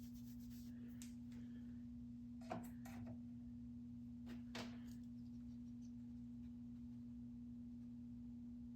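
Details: Space Duel arcade game: steady, pure mid-low tone droning unchanged; electrical noise from the power supply, with the supply voltage measured too low at about 4.5 V.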